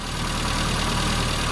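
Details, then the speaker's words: Carbureted engine after carb-to-manifold joint found loose and tightened but still leaking air: uneven, lumpy idle with irregular low beat, mixture upset by the air leak; engine otherwise feels strong, tune can't be completed. "Uh unfortunately, we got uh quite a consistent air leak on the carburetor to the MA and the manifold area. So, there's this the carb was loose. I've tightened it up, but it's still leaking. As you can hear, the idle's not uh ideal"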